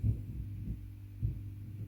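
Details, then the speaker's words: Carvin MTS 3200 100-watt tube amp, drive channel weak with almost no volume: low throbbing bumps over a steady hum as the drive knob turns; scratchy pot, suspected DC from failed coupling cap or bad preamp tube. "i move it i can hear that it makes me think there's dc on that pot maybe a coupling cap has gone"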